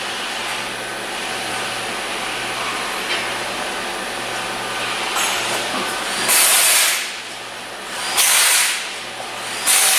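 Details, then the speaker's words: 2016 Hyundai Sonata Hybrid towed in with a no-start, a dead battery and a hybrid warning light; after the codes and warning were cleared, the engine is running with no codes, a low steady hum with a few hissy bursts. Normal engine running. "so right now there's no codes and uh car is running or the engine is running right now"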